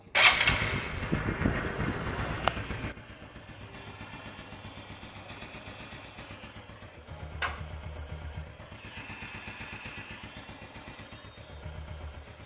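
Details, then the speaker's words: Honda Future 125 motorbike after engine rebuild with new cam, before adjusting valves, throttle and oil and before test ride: few seconds of loud revving, then steady, even idle, soft regular beat, no knocks; normal running. "Nói chung là ngon lành nha anh em bữa nay cúp điện rồi mưa cái nữa anh em nghe tiếng máy Nói chung là máy đã nổ hoạt động rồi Ngon lành rồi"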